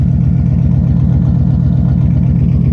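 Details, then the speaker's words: OBS GMC Sierra V8 idle after one exhaust manifold gasket replaced: deep, even puffing chuff each firing pulse; much improved but slight manifold leak remains on other side. "so it did help a little bit it does sound better it still does have a little bit of leak which you can hear does sound much much better sounds much better than it did but still has a little bit of a leak no big deal"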